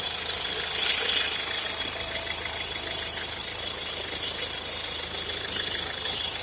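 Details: Peugeot Partner 1.6 at idle: fast, fairly even light ticking about three per second over a thin-sounding engine; strange noise of unknown cause.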